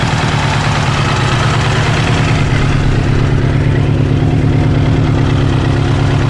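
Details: Kawasaki GPZ900R at loud deep idle with a constant heavy pounding undertone; engine stutters above 3000 rpm; hammering noise inside engine, source unknown.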